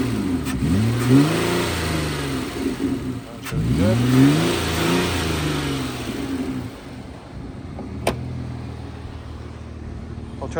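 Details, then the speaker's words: 2008 Nissan Altima 3.5 SE V6, tested before removal for resale: two clean free-rev blips climbing and falling smoothly, then a steady even idle with no knocks or rattles; healthy engine. "Runs very smooth. We'll give it some rev up."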